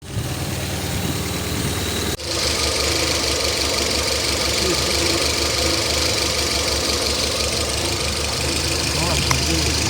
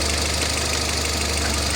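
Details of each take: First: Citroën petrol engine idling unevenly with shaky knock-like stumble and vibration; misfire from a failing ignition coil, injectors tested, coil replaced and engine then ran smoothly. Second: Citroën petrol engine after coil replacement and injector testing: idles smoothly with a steady low hum, no missing or knocking beats; normal smooth idle.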